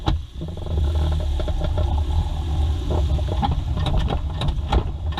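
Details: Idling Mazda 2 engine with a low rumble and sharp knocks at an uneven pace.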